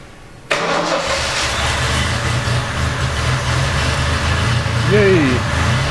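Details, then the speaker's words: 1970 Triumph TR6 first start after restoration, with oil system primed and ignition timing set: a brief crank, then it catches into a slightly lumpy idle. It is hard to start, runs not very smooth, and oil pressure is good. "but exactly as before it's hard to start once it starts it runs not very smooth but at least runs"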